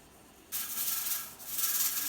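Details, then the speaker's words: All American 921 pressure canner at 10 pounds, around 220 degrees: sudden bright hissing rattle as the weight starts rocking and venting steam; target is 1 to 4 rattles per minute; normal weight rocking at pressure. "okay, so you can hear this rattle, and the goal is to have this rattle at least 1 to 4 times per minute."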